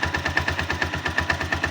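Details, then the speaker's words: 162FMG-G engine at idle: sharp, even knock about eight times a second over the idle, source location unclear; internal knock, cause not yet found. "стук двигателя. Из-за чего может быть?"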